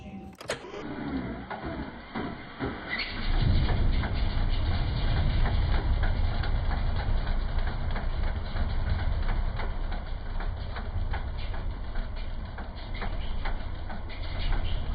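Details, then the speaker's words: Chevrolet Corvette C6 LS V8 at idle, close-up: deep lumpy rumble with faint quick tick about three per second; owner suspects a failed lifter, to be replaced with lifters, trays and head gaskets. "and here's a better close-up video on my iphone but if you listen closely you can hear a little knocking noise"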